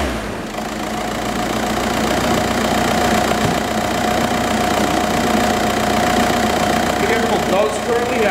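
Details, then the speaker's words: 2004 Volkswagen Jetta TDI, 1.9 L turbo diesel, automatic, 179,000 miles, even diesel clatter and steady whine climbing smoothly with revs, no misses or knocks; runs exceptionally well. "179 000 miles but still runs exceptionally well"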